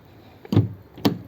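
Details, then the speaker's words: Fiat 500, family-owned about 14 years, after central locking harness repair and reassembly; key lock/unlock gives two quick firm thunks about half a second apart, clean cycle with no grinding or buzzing; door lock actuator working normally. "I've reassembled it here's my key lock unlock and you can see it's working cuz you can see the handle on the other side look lock unlock so that's unlocked"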